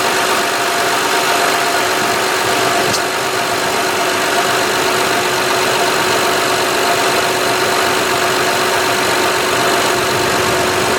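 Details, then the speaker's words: 2006 Honda Odyssey EX-L at idle after power steering pump replacement (original leaked at the shaft), filled with Honda fluid and primed: a steady mid-pitched whine over the even idle as the new pump complains; cause suspected, not confirmed. "let me just show you what it's going to sound like it's going to complain a little bit I did fill this up but it's going to complain"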